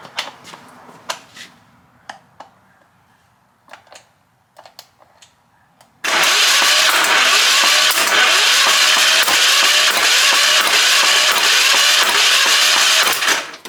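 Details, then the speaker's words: Long-sitting ex-military pressure washer with Hatz 1B20 diesel, glow plug unchecked, undersized wires getting hot; quiet ticking then steady fast chuffing crank that never catches; crank no start, water suspected coming out. "turn this to on and uh let see what happens here kind of sounds like it wants to go"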